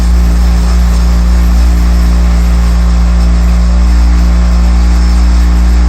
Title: Triangle Tube Prestige Solo 110 Very Loud Vibration Noise